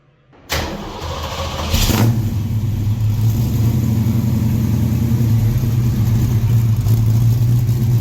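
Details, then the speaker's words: 1967 Ford Mustang being inspected before purchase, warm after being driven over, not a cold start: brief crank, clean catch into deep even rumble with no knocks or ticks; normal warm start and rev. "This thing stomps. It's a good running little car. Temperature staying around 180."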